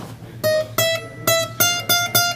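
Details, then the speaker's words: New Recording King guitar during setup, plucked notes: thin metallic sizzle riding each attack, a string buzzing on one high fret; the other frets were fine. "definite high fret that was buzzing there so I needed to to take care of just that that high for the rest of the frets were good but I needed to take care of that one"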